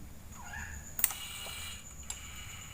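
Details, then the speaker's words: 3000W voltage stabilizer after replacing relay-supply electrolytic capacitor: two crisp relay clicks about a second apart over faint quiet hum, no harsh buzz anymore; output reads 220 V, relay switching cleanly. "Aman rekan-rekan? Tuh. Tidak ada suara beringsik lagi."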